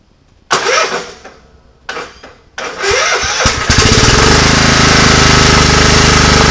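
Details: Scotts riding mower single-cylinder after cleaning pine straw out of the clogged fuel filter: a few short cranking bursts, then it catches and settles into an uneven, choppy run; runs on its own but still not right, backfiring through the carburetor.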